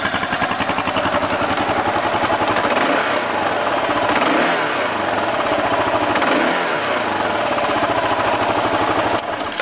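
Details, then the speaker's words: 2009 Kawasaki KLR650 single-cylinder, 17,341 miles, stock muffler with baffle removed and custom tip: idles steadily with a loud, raspy open exhaust, no smoke, engine sounds healthy; normal idle. "so no smoking or anything like that the bike idles good the motor sounds good"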